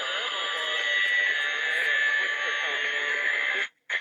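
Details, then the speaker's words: Locken Mikrobox 9 V transistor radio on the bench before alignment: thin, tinny music smeared with a steady whistle and hiss that drops out at the end; the audio is poor and distorted. "pretty pretty awful music"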